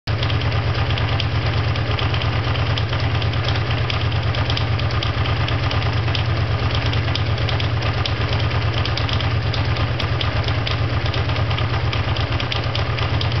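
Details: Honda VT500FT V-twin idling heavy and lumpy with an irregular tapping, about two per second, over the thump; unidentified noise at idle.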